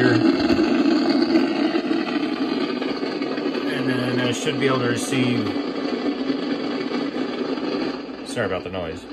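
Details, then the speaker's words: Icom IC-746 Pro on an MFJ switching power supply: steady loud hiss and crackle, with no signals received, not even the 162 MHz weather station. The cause is unconfirmed; owner suspects dirty DC, voltage out of bounds, or bad components. "162 yeah i don't hear the weather station like i'm normally able to nothing just that noise"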